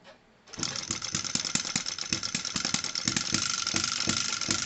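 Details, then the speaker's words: Microcosm M96 hit-and-miss model engine on SP98 gasoline with a few drops of 2T oil, mini carburetor needle about a quarter turn open, restarted warm: sharp light pops about three a second, even rhythm; runs gently and quietly, normal hit-and-miss. "un vrai hit and vous l'entendez vraiment il fonctionne gentiment il fait pas trop de bruit"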